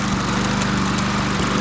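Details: Toro GTS Recycler self-propelled mower, pulled from the trash with a blown head gasket, now running warm on fresh gas. Steady, even buzzing beat with no knocks; carburetor may still need cleaning.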